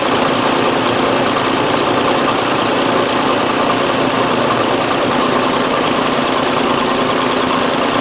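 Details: 2001 Nissan Frontier 3.3 V6 with check engine light on, idling unevenly with a faint stumbling pulse and hood shake; P0302 code, cylinder 2 misfire confirmed by cylinder cut-out test.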